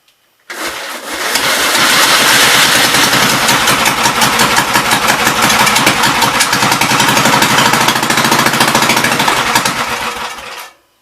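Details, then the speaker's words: 1944 L engine, free project: catches and chugs unevenly for about ten seconds, then dies; really bad fuel, water in fuel plugging the carburetor float bowl, carb needs to come apart. "So it's just got some really bad fuel problems."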